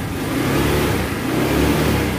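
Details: Honda Vario 110 scooter after repair of shorted, untidy pinched wiring: starter now works, fires promptly and revs cleanly with a steady, even exhaust note, no misses or knocks; normal start and rev.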